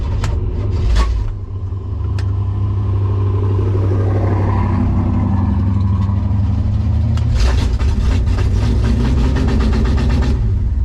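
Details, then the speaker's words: 1965 Impala SS V8 idling after breaking a lifter on the first drag pass, oil pressure good: rough, low idle with an uneven, fast light ticking late on, the broken lifter clattering in the valvetrain. "i can't tell if we get a knock or what's going on"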